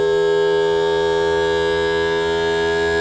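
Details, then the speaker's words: Mercury 60 hp four-stroke outboard tilt/trim pump after topping up low fluid and bleeding air: loud steady electric whine at even pitch with no chatter while raising; works fine once refilled. "Okay. So it's pumping fluid into the cylinder. At some point it may stutter."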